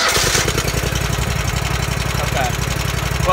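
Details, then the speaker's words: Riding lawn mower hotwired without a key by touching power to the starter, with a suspected faulty or disabled seat safety switch: single-cylinder engine catches and settles into a steady, slightly uneven chug at idle. "I'll just touch that that starter and uh it'll fire up as you can see right"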